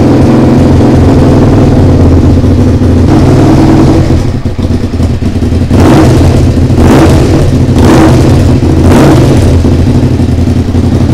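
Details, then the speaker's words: SV motorcycle under restoration, first start: a rough, uneven engine note with rev blips and a raspy chuff at the pipe; the exhaust is leaking because the exhaust line moves at a loose joint. "je crois qu'il y a une fuite là quelque part un souci au niveau de l'échappement on va regarder j'ai l'impression d'avoir du bruit ici"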